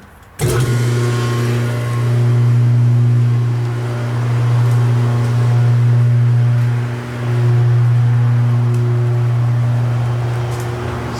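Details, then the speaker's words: Old Stirling 5 hp three-phase 3600 rpm cast-iron motor, cleaned and bearings greased, run via phase converter for a log splitter forging press conversion: steady low hum with clean even tone after quick start, no knocks; normal smooth motor run. "therefore 3600 RPM motor they're fairly quiet will probably sound a lot louder than it really is on his camera but really smooth"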